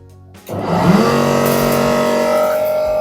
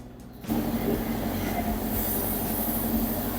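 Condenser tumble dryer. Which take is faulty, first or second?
first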